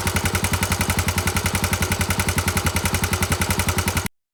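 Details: Honda GB250 Clubman, 40,000 km, relatively clean: a sharp, very even clatter of about twelve raps a second over the single-cylinder running; abnormal internal engine knock, cause not pinned down.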